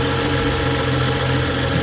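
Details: BMW 640i after fixing a rough, shuddering idle (air leak heard after valve cover gasket replacement; mass airflow/intake air temperature codes cleared); steady, even idle hum with no misses, stumbles or hunting, running smoothly.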